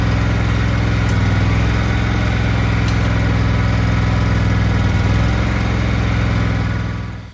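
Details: Cub Cadet 1863 garden tractor, test run after PTO clutch bearing replacement: steady, even low engine drone with smooth firing and no knocks or squeals until shutdown; normal running.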